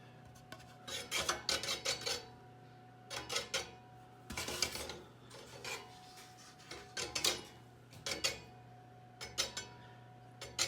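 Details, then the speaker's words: Craftsman-style Casablanca ceiling fan at low speed, noise goes away at high speed: a heavy, wobbling blade drops and scrapes the top housing, giving rhythmic raspy scrapes about once a second over a faint hum. "what's happening is that as it's dropping it's scraping along this along this top part so this part of the blade is scrap scraping right here"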